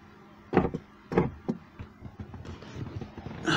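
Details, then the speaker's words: 2001 Alfa Romeo 156, ignition on, nearside (left) rear power window: single dull clonk each time the up or down switch is pressed, no motor run and glass doesn't move; fronts work, offside rear dead; door card removed to investigate. "It makes a little clonking sound up and clonking sound down."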